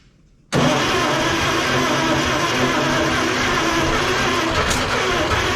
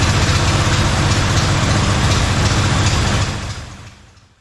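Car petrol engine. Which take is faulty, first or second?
first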